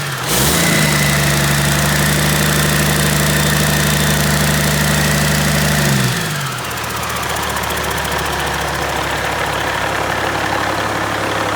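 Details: Freshly overhauled Caterpillar C-15 diesel, first start: revs held steady with a firm even drone about five seconds, then drops back to smooth, knock-free idle; good oil pressure, no vibrations, healthy.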